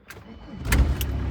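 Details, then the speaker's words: Van that would not start, cranked after its weak battery was recharged and boosted by a charger, in neutral; brief crank, then it catches promptly and settles into a steady rumble, a clean start. "No i gada, nie? To jest ta cała historia właśnie."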